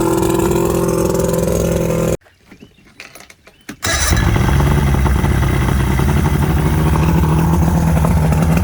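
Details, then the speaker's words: 1979 Johnson 90 hp V4 Seahorse two-stroke outboard, run in neutral with throttle pulled out, telltale plugged; steady, even burble with a brief cut, then smooth again. Runs good, may want new plugs and cleaning. "all right i think i say that runs good probably could use some plugs and stuff but and use a good running too good and cleaned out but i'd say that's success"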